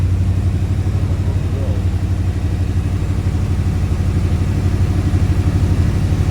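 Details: AK 427 Cobra replica V8 first start, in neutral with the immobilizer off and the fuel pump heard priming. Deep, steady idle burble, smooth and even with no knocks or misses; a healthy first start.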